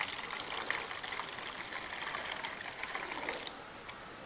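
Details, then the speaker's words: 1993 Polaris Sportsman ATV, engine off during coolant refill after water pump seal work: soft hiss of air escaping the cracked-loose bleed point at the radiator hose, then coolant trickles and flows; normal air bleeding from the cooling system. "I can hear the air coming out of that hole. Whoops. There it's coming out."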